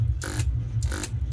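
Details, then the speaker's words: Ahuja BTZ7000 double-channel amplifier, both channels dead with a full short, powered without a series lamp: a heavy low mains hum with buzzing rattle from the vibrating transformer cover, swelling about twice a second. "यहाँ पे notice कीजिएगा, transformer का जो ऊपर का जो मतलब cover दिया हुआ है ना, वहाँ पे आप नोटिस कीजिएगा। और इसमें हमिंग आप सुन सकते हैं।"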